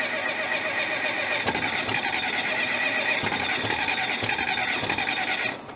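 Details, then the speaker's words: 1970s Cat D330C 4-cylinder diesel generator set, sat 10+ years, cold chilly morning start with no glow plugs: five seconds of cranking with a few uneven puffs, then stops; owner suspects it needs more fuel; cranks but won't start. "she tried to fire there we got i think we just need more fuel up there i don't want to run that starter for too long"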